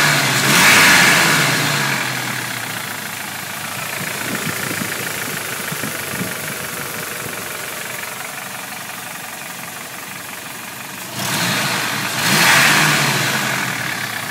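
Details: 1995 Toyota 3RZ four-cylinder, warm, revved twice with the microphone held close: hollow knocking under a loud airy rush, suspected piston slap.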